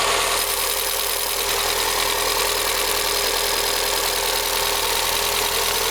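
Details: VW Gol G6 1.0 on a cold first start: fast, light, fairly even ticking over a steady idle. The VW dealer diagnosed faulty hydraulic lifters; the engine was opened and they were replaced.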